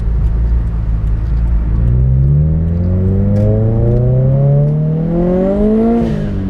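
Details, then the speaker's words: Turbo Scion FRS boxer engine on test drive after spark plug replacement: pulls cleanly through the revs, pitch climbing smoothly with no hesitation or misfire; AFR and fuel trims correct, lost power restored. "Alright, with those test runs, it shows we're back in action. Car's running great, the AFR is where it should be, the short and long term fuel trims are correct, and all that missing power is now back."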